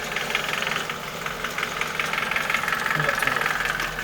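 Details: Nissan Micra K11 1.3 CG13DE engine, freshly serviced with 10W40 oil at correct level, ticks only at idle once at operating temperature; light quick top-end tick about three per second over steady idle, disappears with a few revs; cause unknown.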